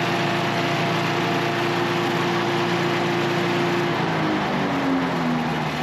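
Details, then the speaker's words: Small pull-start engine, oil checked good, started with a little choke: catches and settles into a steady, even drone with no misses or knocks; runs cleanly, third of three units confirmed running. "Okay, I think that's 3 for 3 for the day. It's getting a little bit late, so I think I'm going to call that good for today. We'll work on the chipper tomorrow. So we got 3 of them we know will run."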